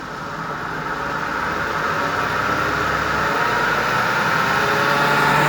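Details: 2WD Toyota Funcargo, left front wheel raised on a jack, drive engaged: steady droning hum swelling as the wheel spins, from worn left front wheel bearing; right side silent.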